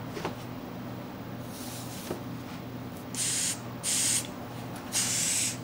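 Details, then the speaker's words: ATV/motorcycle carburetor after reassembling the float and pin: three short bursts of clean, airy hiss with quiet gaps between. Air flows freely through the needle valve with the float relaxed and stops when the float is pushed up, so the float valve works properly. "now I don't know if you can hear it but you can hear air flowing freely when the float is in a relaxed position and then when I push it up so to simulate gas being in the bowl closing that switch you don't hear anything flowing so that means that's working well"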